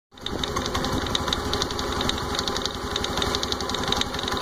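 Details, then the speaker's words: Honda Activa 125 scooter with only 115 km, idling: quick, light ticking over its steady putter, source unclear to the owner. "is this strange sound? It has only run 115 kilometers and you can hear the sound coming out from, I don't know, from where it is coming."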